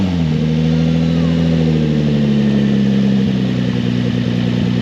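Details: Nissan 350Z with a swapped VQ35DE, test run with no exhaust fitted: loud, raw, steady idle with a deep even throb and a slight dip in revs. Engine running fine.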